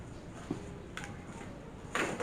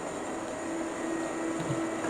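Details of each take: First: Rat rod dually truck with a 460 swap, voltage tester connected: short stabs of starter noise cut out after a second each before the engine catches. This happens when warm or after repeated cranking; owner suspects the solenoid, since two starters behaved the same. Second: Rat rod dually truck with a swapped 460 V8 at warm idle: electric cooling fans kick on for the first time, on schedule at 180, with a steady even rush of air and no rattles or rubbing. Owner is concerned the air-fuel mixture may be incorrect.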